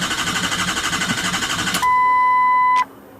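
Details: 2003 Ford F250 Super Duty 6.0L Powerstroke diesel after oil cooler replacement and EGR welded shut: steady cranking about three beats a second that never catches, then a beep and silence; FICM voltage drops to 10.5 V cranking. Crank, no start.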